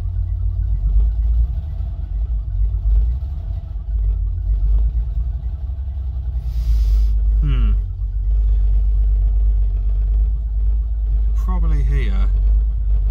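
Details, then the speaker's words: 1979 Opel Monza barn find, runs in garage after fuel tank install, original injectors refitted: low, uneven lumpy idle rumble, still sounds like misfiring on one or two cylinders; cause not confirmed; misfire. "does still sound like it's misfired"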